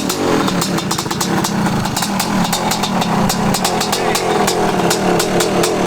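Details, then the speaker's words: 1985 Honda CR500 two-stroke bought non-running at a swap meet, first revival run on about half a gallon of fuel: irregular sharp cracks and popping over a ragged, stuttering idle; running poorly, cause not pinned down. "thank you done one idle sounds like it's not running right ah it's even if it's not running right"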